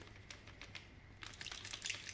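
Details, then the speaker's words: Quad Era-1 headphones shaken side to side: sharp, irregular clicks and rattles from a small screw that worked loose, likely in transit, and rattles inside the right ear cup's compartment. "inside this small compartment here there is a small screw that with the maybe with the traveling uh that small screw unscrews and inside this part it will shake and then make that noise"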